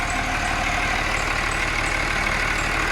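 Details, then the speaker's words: Cummins 6.7 turbo diesel test engine on HythanolPLUS fuel, idling around 736 rpm with no smoke, described as smooth as a baby: steady, even diesel idle with a regular beat around three per second, no knocks or misses; healthy idle. "it is now idling at 600 736 rpm and it's as smooth as a baby"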